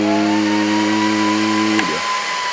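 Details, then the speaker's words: Mean Well RSP power supply feeding a single BLF188XR LDMOS amplifier: when the amp is keyed and current is drawn, the supply's internal fans jump from idle to full speed, a loud steady whirring whine that sags when the load stops. "as soon as current is pulled from this supply the the fans just go at full speed here's an example"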